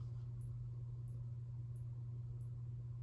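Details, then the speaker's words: 1981 Casablanca Zephyr ceiling fan, bottom bearings oiled, top untouched, original Slumber Quiet replaced by variable speed: steady low motor hum with a faint high chirp about every two-thirds second; bearing noise, top or bottom unclear. "So you do still hear some bearing noise, but I can't tell if that's the top or the bottom bearing making that noise. Maybe it's both, I don't know."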